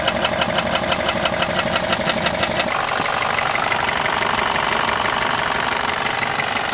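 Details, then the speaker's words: VW Passat 1.8 TSI petrol engine idling with a rapid, regular metallic knock from a failed connecting rod bearing, pinpointed to the cylinder with a screwdriver test without disassembly. "If your car makes this noise, it may sound scary, but don't panic. Well, at least not yet, because in this video, I will show you how to easily diagnose engine knocking without taking it apart."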